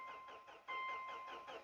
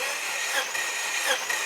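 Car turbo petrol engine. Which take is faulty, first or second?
first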